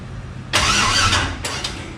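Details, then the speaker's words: 1000 hp turbo LS Mustang, first start-up after fuel system build, cooling system not finished; quiet then harsh rasping burst of cranking cutting off and returning; abnormal cranking noise, cause unknown. "Ooh, I didn't like it. What the hell is that doing? Doesn't sound good at all."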